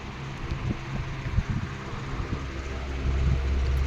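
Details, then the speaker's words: 16-inch R&M Banner two-speed oscillating table fan on low speed, drawing 0.8 A: a low steady hum with a faint, uneven rapid gearbox chatter. "You hear a bit of that gearbox chatter. That'll go away as this fan runs for a little bit"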